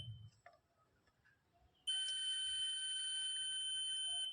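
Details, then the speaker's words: Continuity beep from a multimeter across plus and minus of a 4440 IC amplifier board, a steady high-pitched tone of about 2.5 seconds after probe clicks; a good board should not beep there, so it shows a short circuit. "इसमें देखिए लगाने पर beep की आवाज आ रही है।"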